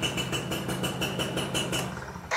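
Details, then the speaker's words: Classic two-stroke motorcycle, slimmer than the RC, started on one press of the electric starter in neutral: steady lively idle with even popping pulses, no knocks or rattles; normal healthy idle. "Kita kontak, ada tanda netralnya nyala, kita starter. Satu kali doang. Ini menandakan motornya sehat, teman-teman."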